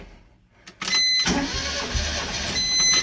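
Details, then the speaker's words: Mazda Miata 1.6 after hydraulic lifter cleaning and timing belt reinstall using zip ties on the cam gears: starter whirs about two seconds but the engine never catches; cam timing out, whole engine needed retiming. "I think everything's plugged in. I mean, there's only ignition, so let's give it a shot. Nope, timing's out."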